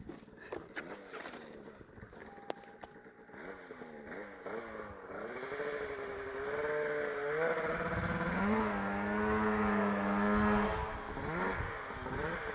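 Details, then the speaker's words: Polaris RMK Turbo two-stroke snowmobile showing a bottom-end detonation code, revved on snow: revs up and sags unevenly, pitch wandering and stumbling instead of climbing cleanly; running rough. "All right, let's see what this turbocharged thing can do. That doesn't sound good at all."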